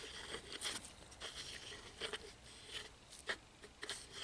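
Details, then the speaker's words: Kawasaki Eliminator ZL600 radiator fan motor, removed, old and rusty: turned by hand it gives uneven gritty crunching scrapes; on 12 V it buzzes and strains but the fan won't move; seized, beyond repair. "it's grinding inside the motor. I even connected 12 volt to it, negative, positive, and you can hear the strain kind of coming from the motor over there. The electric motor, it's kind of buzzing, but the fan doesn't move at all."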